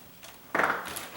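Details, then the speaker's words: Freshly painted door closing: brief scuffing rub near the top as it seats, from brand-new weather stripping standing proud compared with the 17-year-old old strip it replaced; not a concern, expected to compress in over time. "That's the weather stripping, and I'm not too concerned about the weather stripping rubbing like that."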